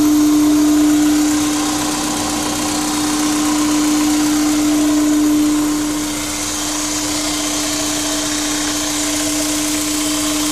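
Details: Honda S2000 with K&N intake running, a steady mid-pitched hum over the engine with a light airy hiss; owner unsure whether it is normal.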